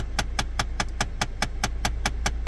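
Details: 2016 Jeep Compass, engine running, A/C on with recirculation selected: sharp even clicking about five per second from the dash vent, the failing A/C recirculation door actuator, to be replaced.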